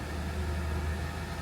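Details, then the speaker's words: Kia Stinger 3.3 Turbo with the brake vacuum pump fault, engine running: low, even idle with no pump whine over it. Vacuum pump control switched off because there is enough servo vacuum, which is normal. "there we go, it's gone off because the engine's running. It's told the switch to go off, that we've got enough vacuum on it."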